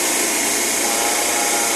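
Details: Blast freezer after a new TXV (expansion valve) was fitted. It was previously loud and vibrating because liquid injection was faulty. Now a steady, even hiss and rush with no knocking, rattle or surging; the freezer unit runs smoothly.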